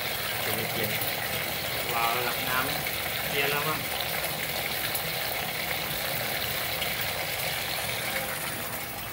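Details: Hitachi SF-80H top-load washer not shutting off water: steady hiss of water rushing into the tub with no cut-off, keeps refilling and level shutoff fails.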